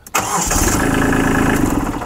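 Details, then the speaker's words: Kubota B2650 diesel tractor during 50-hour start safety check; with speed pedal back in neutral, brief crank and diesel catches at once into even idle, safety system operating correctly, normal start. "so that operated as it's supposed to so we can continue driving the tractors provided these other switches work okay"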